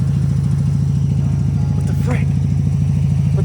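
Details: Mazda RX-7 FB GSL-SE rotary, idling on its own after sitting since 2007: steady, even low burble pulsing about three times a second with no misses or knocks; normal idle.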